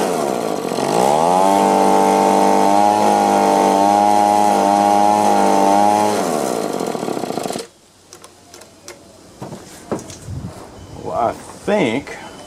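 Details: Echo PB-2520 two-stroke blower, owner had misadjusted the carburetor, choke on: winds up to a strained, raspy full-throttle drone that wavers, surges and dips, won't idle, then shuts off; surging at full throttle, suspected clogged carburetor screen.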